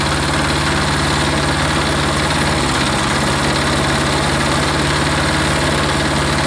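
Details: Hot air-cooled diesel engine during shutdown and restart cycles; steady, even clatter at idle with a firm low rumble and no misses or knocks. Normal idle.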